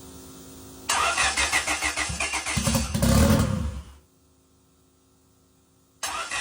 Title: is it on a start tune or is it misfiring? #brakecheck #motorskill #goleft